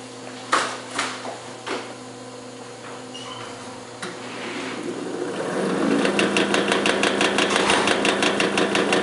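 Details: Old Magnetek electric fan motor spinning up: a dry rattle builds to about three knocks a second over a rough whir from badly worn motor bearings.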